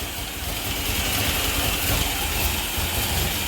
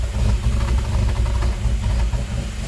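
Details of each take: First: Grand Am GT with 3800 NIC cam and F23 swap, new coils and ignition module, first start on the key: uneven lumpy idle with a hissy rushing note; owner suspects a bad vacuum leak; battery appears not to be charging. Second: GM 3800 V6 with NIC cam in an F23-swapped Grand Am GT, first start after new coils and ICM: deep, heavy idle with uneven choppy lope, no knocks or rattles; healthy big-cam idle.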